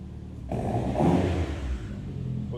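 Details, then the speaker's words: Mitsubishi Evo X after engine install, with a used replacement exhaust and twin-disc clutch: quick rev blip rising and falling smoothly, deep and mellow, not loud or raspy, no drone or rattle; healthy exhaust note. "dude, this sounds good. >> Not bad. >> Not loud. >> That's what I'm saying. >> Not raspy. This is all good."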